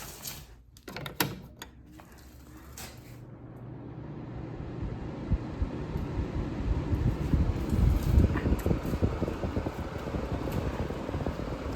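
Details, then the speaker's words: 2002 Friedrich Quietmaster window air conditioner with an LG rotary compressor, very dirty, just plugged in and started on fan only: a low whoosh builds, then steady even airflow, a decent amount of air; normal fan-only operation. "This thing blows a pretty decent amount of air, but not amazing, but not terrible by any means."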